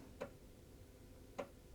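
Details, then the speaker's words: Commodore Amiga A1000 from 1985, 40 years old, powered on with a cleaning disc inserted: two sharp head-seek ticks about a second apart with no motor hum beneath; the floppy drive seeks but is not spinning up. "Okay, the drive is making seeking noise."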